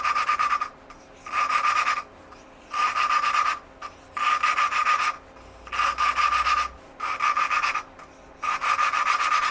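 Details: 1982 Yamaha XT200 engine rebuild, exhaust valve lapped by hand with grainy grinding compound: gritty, rasping strokes roughly every second and a half as the valve twists on its seat; early rough grinding, pitch expected to rise as the seat beds in.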